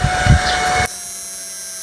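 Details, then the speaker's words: Susan 735 inverter after repair; it had been overloading and burning its output wires, and the SCR and DB3 were replaced. Under about 500 W–1 kW load it gives a short thump, then a steady, even hum with a faint high whine, no flutter. Output is normal. "Ito yung tunog niya ngayon sa 1K. Kaya naging natural na yung tunog niya."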